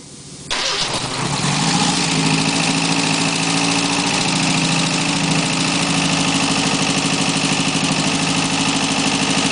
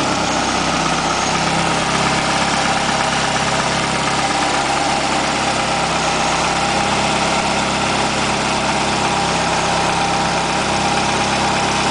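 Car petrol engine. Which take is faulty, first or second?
first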